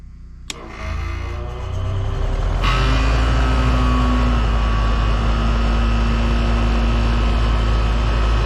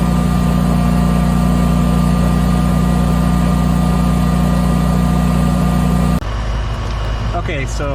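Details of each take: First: Generator powering an air conditioner without Micro-Air EasyStart, recorded by phone near generator: runs steady, then bogs and strains as compressor kicks in (max about 70 A), settling into heavier lower hum under load. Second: Generator running an air conditioner with a Micro-Air EasyStart 368 installed, drawing about 9.6 A after a 17.3 A start, phone recording beside the generator. Steady, even drone with constant pitch and no bogging or surging. Normal.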